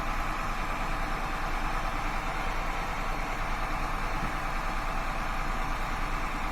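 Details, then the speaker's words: Honda Accord 3.0 V6 VTEC with misfire codes P1399/P0301, idling: unplugging the number two coil makes the engine stumble quite a bit with a lumpy loping beat, showing that coil works. "so just took off number three in the engine stumble that one's good there's number two here's number two stumbles quite a bit"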